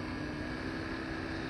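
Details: 12-volt in-line marine bilge air blower on a speed controller, used as vent fan in a homemade low-lying fog generator, fog machine off: steady even air rush with constant motor hum and higher whir, no rattle or scraping; runs smoothly.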